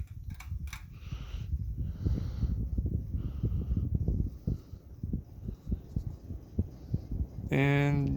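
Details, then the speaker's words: SMC DC42 (Global Winds) ceiling fan on high speed, slightly wobbling. A steady whir carries uneven ticking and light rattling about four times a second from inside the motor; the bearings are suspected. "yeah see it's wobbling it's not too terrible and the noise you're hearing is from the inside of the motor i need to figure out why it's doing that at some point"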